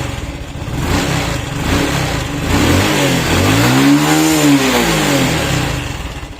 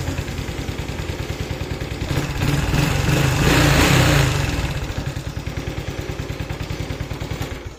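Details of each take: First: Honda Wave 110i motorcycle, hand-started and revved by hand: revs fine but will not hold idle, starts very hard and hesitates. Fuel pump, injector and spark plug were checked or replaced without fixing it, and compression felt low. Fault traced to the MAP/throttle-body sensor. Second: Honda Wave 110i that was hard to start, with stumbling acceleration and unstable idle, after MAP sensor replacement: idles steadily, revs up smoothly on a throttle blip and settles back, with normal idle and strong throttle response.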